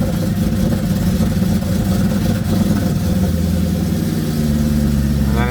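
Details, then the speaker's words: Mercedes CLK55 AMG with M113K supercharged V8 swap, EVAP blocked off and O2 sensor codes; after cold start loud V8 idle dips and roughens briefly then steadies, stumbling as idle falls then clearing itself quickly; cause not found. "yeah it clears up quick it's just it's going to stumble a little bit when it falls"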